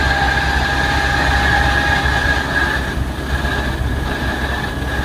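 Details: Gearbox or clutch noise, present only with the clutch pedal released and when accelerating: deep rumble under load with a thin high whine on top; cause unconfirmed.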